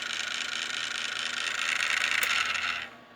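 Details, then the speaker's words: Small cooling fan inside an amplifier buzzing with a fast, rough, high rattle when switched on; shaft play in the worn bearing causing vibration, to be fixed by disassembly and lubrication with thin oil. "mas olha o barulho que ele tá fazendo e aí tá simplesmente com folga folga no eixo aí tá vibrando quando liga"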